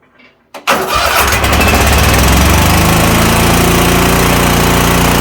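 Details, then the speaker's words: Toro Titan MX5400 zero-turn mower, Kohler Confidant 23 hp V-twin: starts then uneven loping, hollow weak running, bogs badly under load; not fuel-related, one cylinder misfiring from weak ignition coil. "This thing bogs down under a load real bad. It runs rough and overall it sounds very weak."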